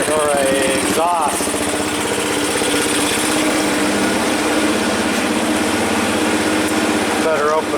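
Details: 1985 Yamaha BW 200 single-cylinder, sitting since 1997, first run after revival: loud steady idle with no backfires, top-end noise quieted; owner suspects a stuck valve had been the issue; running smoothly.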